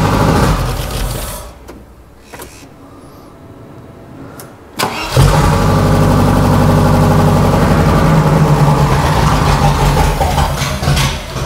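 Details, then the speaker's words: Range Rover Classic V8, about 30 years old, first start after 7 years with no exhaust fitted: cranks, catches and settles into a loud, raw, blatting unmuffled idle; needs silencers. "Go Beast sounds sick don't it that's loud though yeah it needs the silencers on"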